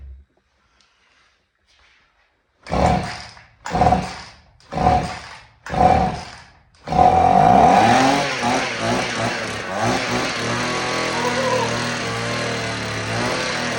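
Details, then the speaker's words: Vintage Husqvarna 50 chainsaw, sat about 15 years, 80 psi compression, cold start: four short pulls, then it catches and runs rough, uneven and weak; stuck or weak piston rings suspected, compression slowly returning. "Sounds like it's trying, but I think the rings are just so weak. It can't pull full fuel up."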